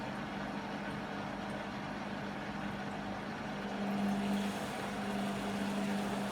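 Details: Beko WM5100W 5kg washing machine, found on the street and plumbed in, test-running a rinse with rags: a continuous loud roar with a steady low hum and no clear knocking through a roughly 10-minute spin. Noisy spin; cause not pinned down.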